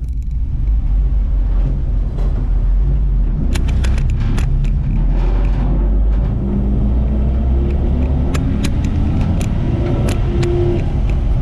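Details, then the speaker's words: 1958 Ford F100 panel truck (F-250) driving on the road: steady, even low rumble with no knocks or misses; clutch works, shifts smoothly through all gears, rear end gear whine audible. Engine and driveline running normally. "Thankfully, the truck's making all the right noises. Clutch works, seems to function just fine. Shifts through all the gears very, very smoothly."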